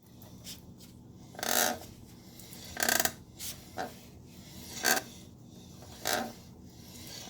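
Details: 2016 Triumph Street Triple R motorcycle: dry, rasping rub from the rear wheel in short bursts about once a second; owner asks what is making the noise, a rear wheel rubbing noise.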